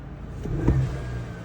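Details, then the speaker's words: 2023 Chevy Silverado 1500 2.7 high-output turbo with newly installed blow-off valve, sound matting removed, hood half open: short whoosh on quick throttle lift over low engine rumble; BOV venting normally. "Come off the throttle quick, you hear it. That is awesome."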